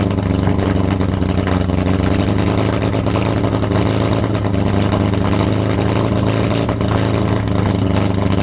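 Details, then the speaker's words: Lotus Europa Twin Cam with Stromberg carbs, after rotating the 123 Ignition distributor: engine runs unevenly with a wavering, chuffing beat and irregular stumbles. Rough running but better than the last attempt, with less carb spitback. "It sounded better than last time."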